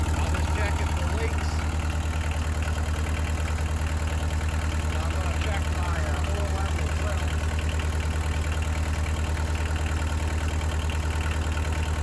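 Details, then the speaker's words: Early-1980s Bobcat 743 diesel skid steer after fuel filter replacement; steady diesel clatter at even idle, about three beats a second, no misses or stumbles; running fine. "I'm going to go ahead and fire this thing up, and once it's up and going, we'll let it run here for just a little bit, and then we'll check our oil levels, make sure everything is fine there."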